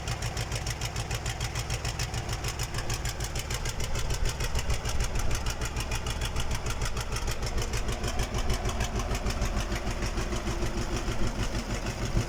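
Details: KamAZ diesel engine on its first start after a major overhaul: a steady idle with even, regular firing pulses and no knocks or misses. Normal idle.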